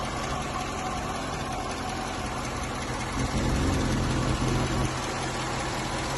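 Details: 2013 Chevrolet Corvette C6 V8 at idle, possibly cold, filmed by seller; light regular tick about three to four a second on top; source unknown, buyer wonders if lifter, belt or just cold engine.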